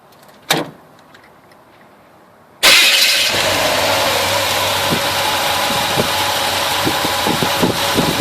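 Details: 1971 Chevelle 350 V8 after chasing a persistent misfire (No. 1 plug was wet), fixed by readjusting and swapping carburetor parts: engine cranks, catches cleanly and settles into a steady, even idle with no miss or stumble.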